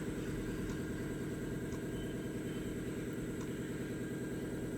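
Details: 2005 Ford Mustang 4.0L V6 with P1233 and O2 monitors not completing, idling during repair checks: steady even idle, smooth regular pulse about three beats a second, no misfire or knock; engine healthy.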